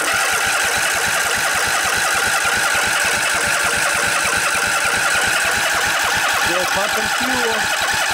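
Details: Revived Briggs & Stratton Intek OHV twin (20-22 hp, model 40777) in a junkyard Husqvarna riding mower with new carburetor, started on light choke after fuel pump filled the float bowl: fires and settles into steady, quick firing beat, no misses or knocks; normal running.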